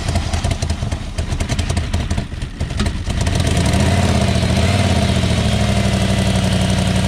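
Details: 1994 BMW 740i (E32), first start after adding fuel with the fuel pump working: uneven, clattering idle settles into a loud, raw, unmuffled bark; runs, but the exhaust is essentially missing.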